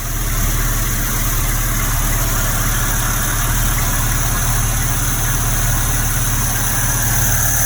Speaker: You'll see it's still pretty cold with the choke half open. Time is not set. Time is still not set now, but it runs like a dream.